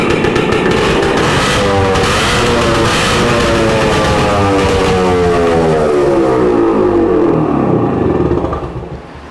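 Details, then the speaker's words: 1966 Suzuki Bearcat 120cc two-stroke, kick-started after maintenance, carburetor cleaning and reseating the throttle cable; crisp, clean revs with a very loud, raw exhaust because the muffler baffle is missing. "this guy sounds really good it's super loud and that's because I don't know if I shared this with you guys already but yeah you got a baffle it's missing a baffle"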